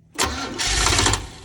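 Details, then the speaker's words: Engine slow to start after breakdown and before a road trip: short crank catching with a brief stumble, hesitation, then rough running; owner considers changing the coil or retarding timing, cause unconfirmed. "see it had that hesitation that run this thing should start quicker than that"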